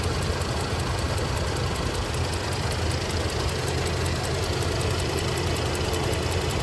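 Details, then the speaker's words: 1979 Cadillac Eldorado Biarritz EFI V8 with new exhaust, idling: smooth, even idle with a quick, steady ticking on top from the eight fuel injectors firing in sequence; normal, healthy. "well you can really hear those eight fuel injectors clicking away doing their job firing ing in sequence with this vendex"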